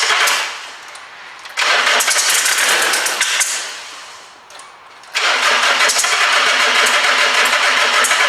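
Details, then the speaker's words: 2006 Nissan Navara diesel that spluttered and stopped, told it needs injectors: dry, hollow cranking in two long bursts, barely catches and won't rev with pedal floored; suspected water in the diesel system starving the engine. "I wasn't expected it to actually start but it kind of started as you can hear there but that was my foot fully to the floor and it wouldn't rev up what I think has happened I think water's got in the system"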